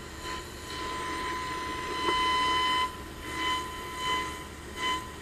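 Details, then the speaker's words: Zenith 707 radio, first IF transformer tested with signal generator and signal tracer: clear test tone swells and fades as dial is rocked, peaking sharply; resonance around 485 kc, normal. "there you can hear it as i rock the dial so it seems to be resonance at around 485 kilo cycles"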